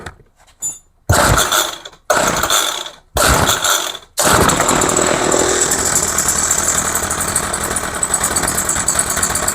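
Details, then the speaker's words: Craftsman 21cc two-stroke hedge trimmer, roadside find, after new fuel lines and RB-29 carb kit, choke toggled: four pulls, then ragged, wavering uneven buzz. Owner suspects carb needs adjustment or a metering-side mistake in the rebuild. "Okay, so obviously it needs adjustment. Or I did something wrong in the carb. I don't think so, but you never know."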